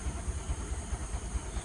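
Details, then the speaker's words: TVS XL100 moped, clutch parts recently replaced, running: uneven low thudding putter with beats dropping out, pulling poorly; misfire from carburettor with stuck choke and blocked passages, air screw stuck; suggested fix is clean and air-blow it, else replace carburettor. "അപ്പോൾ ഇതെന്താ പ്രശ്നം എന്ന് വെച്ചാൽ carburettor problem ഉണ്ട്. കാർബറേറ്ററിന് വെച്ചാൽ ഒന്ന് chalk സ്റ്റക്കായിട്ട് കയറിയിട്ടുണ്ടായിരുന്നു ഒന്ന്."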